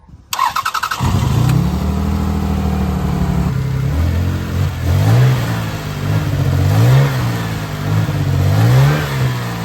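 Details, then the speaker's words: Toyota Highlander with 157,000 miles and a cylinder 6 misfire: the starter cranks, the engine catches, then it idles very rough with an uneven, surging beat. "it sounds very rough and runs very rough."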